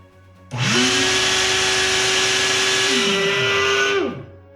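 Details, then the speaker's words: Shop vac about 22–23 years old that appears to have stopped working: the motor whines up to a steady high pitch with a rough roar over it, then winds down. Owner suspects a bearing or a failing motor; not confirmed. "So when we turn it on, it's making some funny noises, and I have a sneaking suspicion that it might be a bearing or maybe the motor's just going bad."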